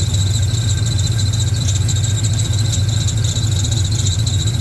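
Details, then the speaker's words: 1970 Camaro Z28 with a built LS2, LS3 heads, a newly installed Edelbrock E-Force supercharger and accessories moved 3/4 inch forward, at idle. A constant high-pitched scream is heard and the source is not yet pinned down; the owner suspects the different AC compressor. "I gotta figure out why the hell the belts are screaming. Might be because I put a different AC compressor on there."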